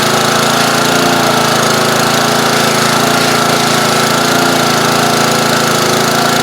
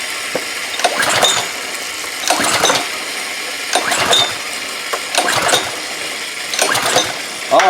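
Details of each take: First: Old pressure washer small engine, air cleaner off: steady, even putter about four beats a second with no misses or surging, runs smoothly; slight carburetor blockage, sounds better partially choked. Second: Old, long-sitting pressure washer with some carburetor corrosion, fuel squirted down the carburetor: five pulls of the ratcheting starter whirr with no firing. He says he squirted in too much gas and flooded it, so it wouldn't start; plug soaking wet, strong spark.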